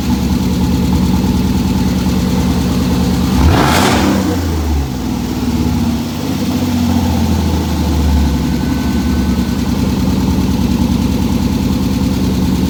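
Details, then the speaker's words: A cammed V6, cold at about 50 degrees: choppy, lumpy idle sitting high with one quick throttle blip; it idles down when warm. Normal. "You should hear it when it gets warm because then it idles down. It's just, she was idling kind of high because it's cold in here."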